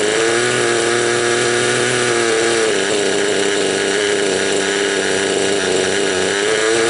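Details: Raptor 30 gasser RC helicopter during break-in, high idle trim, low needle one turn out, high needle 3 out: busy buzz at high idle whose pitch wavers and burbles unevenly, rich mixture four-stroking and spitting oil from the exhaust.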